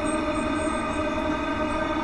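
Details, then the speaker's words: Webasto Thermo Top C fuel-burning heater on a 2004 Freelander 1 TD4, after priming and a reset, about three minutes into running: a steady, even roar with the fan building speed and little smoke. Combustion is normal. "fan speeds now building up quite a lot obviously a lot combustion going on not so much smoke which is nice up to three minutes still going strong"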